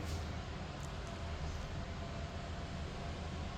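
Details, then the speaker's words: Basement HVAC set to 75 reading 77 for days, blowing continuously for weeks: steady low rushing airflow with deep even drone and no cycling; blower never reaches setpoint, cause unknown. "It's been set to 75 for a few days now. It hasn't reached 75 and it's just blowing away."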